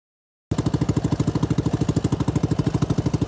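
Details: CFMoto 250cc 172MM GY6 single-cylinder buggy with rebuilt head and old pickup coil spliced back in place of bad new one, desert riding: crisp even firing about three per second, no misses or knocks; normal running.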